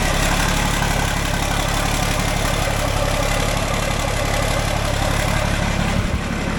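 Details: John Deere 4640 tractor diesel, started after sitting a while and after a new radiator was installed, gives a steady even low rumble at idle with no knocks or misses while warming up; normal idle.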